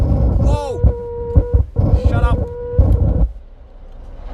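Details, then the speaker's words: Car audio subwoofer: irregular deep bass thumps and throbbing hum with a faint whine and squeals; the bass remote knob was struck by a heavy object and is broken inside, and the fix is replacing the amplifier. "this remote controller so it has been struck with a heavy object some time in his life career so it is broken inside here"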